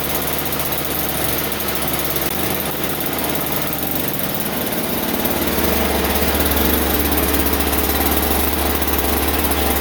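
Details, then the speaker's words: Toro Powerlite two-stroke single-stage snowblower on a warm day, just started after spraying. It runs loud, buzzy and slightly uneven, then settles into a steadier drone and sounds flooded and rich. It had earlier failed to start because of a loose spark plug boot. "wow that flooded up it's really loud"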